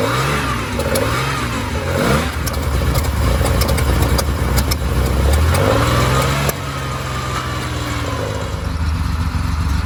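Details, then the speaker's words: 50-year-old air-cooled Porsche 911 flat six, started at 2 °C: catches, idles lumpy and uneven, revs and settles, slightly smoky; needs a tune-up and service but runs. "car is a little bit smoky, but that is mainly due to the fact that it's 2 degrees out here. It's very cold, hence these things. But we've got it fired up. It does need a tune-up, it does need a service, but it's running."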